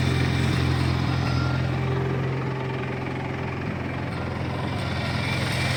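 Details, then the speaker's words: 1953 Farmall Cub tractor idling after refilling low hydraulic fluid (about 40 oz NAPA tractor hydraulic transmission fluid): steady even low putter, earlier high-pitched squeal gone, sounds a lot better; normal running. "sure has gone that high-pitched wheel that we heard squeal that we heard earlier is certainly gone [Music] [Music] [Music] sounds a lot better"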